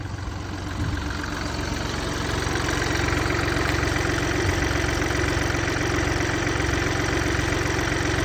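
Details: Mini Cooper D three-cylinder diesel idling with an uneven clattering rattle, about two beats a second, over a low drone: worn dual mass flywheel, which holds the clutch springs, causing juddering after lifting the clutch.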